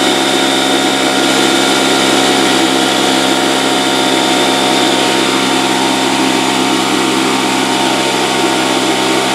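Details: Porter-Cable 6-gallon pancake air compressor, 1.5 hp, 3.5 SCFM at 90 psi, after repairing a broken copper line that stopped pressure building: loud steady buzzing drone, no knocks; pressure rising and holding at about 70 psi.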